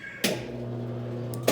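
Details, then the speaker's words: Salvaged CWC10A washing machine, drain pump (electrobomba) powered directly through its wire: two sharp clicks around a smooth, steady low pump-motor hum with no grinding or rattle. The drain pump works normally. "a bomba funcionou"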